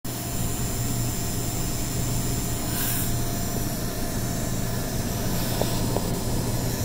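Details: NVIDIA RTX 3080 Founders Edition on Corsair RM850X, day one, loud coil whine only while gaming: steady buzz with thin high whistles over fan rush; limiting framerate and disabling DSR reduced it.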